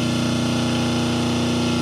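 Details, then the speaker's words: 5 hp three-phase motor run on single-phase 220 V with only start capacitor and first 36 µF run capacitor: loud steady low hum with buzzy edge; unbalanced line voltages measured 190, 186 and 208 V. "Now the motor, what goes wrong is that it sounds a little less, and we are going to measure the voltages now in the three lines"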